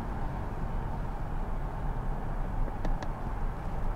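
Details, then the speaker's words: Ram ProMaster City 2.4L Tigershark after replacing the faulty bank 1 sensor 2 oxygen sensor with an NTK unit. It had a slight rough idle and lower fuel mileage; now it idles with a steady, even low rumble, no stumble or miss. "now comes the test i gotta fire it up and see if that has fixed the problem"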